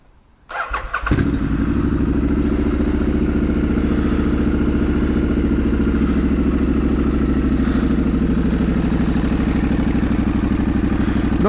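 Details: Triumph Street Scrambler 900 with homemade twin shotgun-style exhaust and universal baffles, recorded stationary from a helmet-mounted camera: cranks and fires quickly, then a steady, even burbling twin idle, throaty but not harsh. Normal start and idle.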